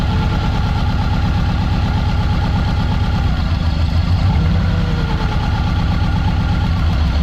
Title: Subaru ej20 misfire coil check